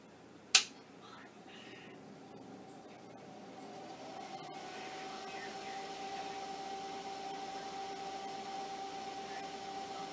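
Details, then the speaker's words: Commodore 9060 IEEE hard disk drive for PET, switched on after a click: quiet, steady hum with faint mid-pitched tone, sounds like the unit with just a power supply; error message follows, fault unclear. "But anyway, right now, I just want to turn it on. As you will find, it sounds very much like the one with just a power supply."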